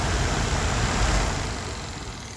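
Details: 1992 Chevy Silverado C1500 blower motor, key on, run through jumper wires into the harness at low then medium: smooth, steady airy whir with a low hum that eases slightly as speed changes; the blower motor is running normally.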